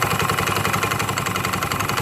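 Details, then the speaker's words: Automatic scooter idling: steady, fast, coarse rattle from the CVT; dirt between pulley and roller housing plus worn rollers, drive plate and faded drive belt suspected as the cause. "an ini antara puli dan rumah roller itu harus stabil Apabila ada salah satu kotoran bisa-bisa akan terjadi seperti Hai bunyi kasar gitu ya"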